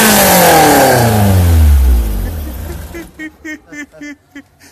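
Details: Weber 40 DCOE 151 twin carburettors on a Ford SOHC 2.0 Pinto engine in a Sierra-based kit car, balanced with an airflow meter to five kg/h per cylinder; sharp blip winds down smoothly with crisp pickup, no stumble; balanced, clean rev.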